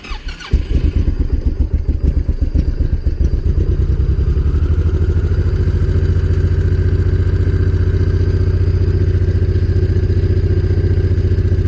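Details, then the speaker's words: Honda VTX 1800 fuel-injected V-twin, cold start just after replacing spark plugs with the same type: catches within a second and settles into an even, lumpy fast idle with no misses; normal high cold idle, expected to drop once warm. "Quite good. For sure it's good. The RPM of the engine is quite high now."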